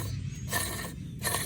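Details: A/C compressor clutch pulley with a worn bearing (part 35BD219DUK), spun by hand after removal: a loose, gritty, rattling whir as it coasts. It had been making a growing whining noise while driving, and a new bearing is fitted.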